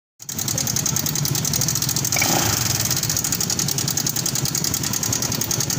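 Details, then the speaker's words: Honda Vario 150 LED scooter at idle with a fast, light metallic ticking over the engine note from a noisy engine; cam chain tensioner tick, worn tensioner letting the chain slap. "keluhannya dari suara mesin ada suara yang berisik kita cek apa itu"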